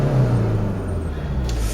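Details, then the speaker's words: 2009 (58-plate) Ford Mondeo 1.8 TDCi Duratorq QYBA diesel shakes at 1500 rpm and drives fine once the turbo comes in; held mid-rev drone with uneven lumpy pulse, low-end diesel knock and misfire. "uh but just bottom end it's got a funny probably a little bit of a diesel knock and i said it's funny misfire"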